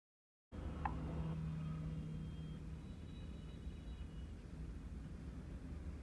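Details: Mahindra Bolero diesel after injector replacement and injector coding, earlier vibration and knocking fixed: it starts and settles into a steady, even low clatter with no knock or misfire, a healthy idle.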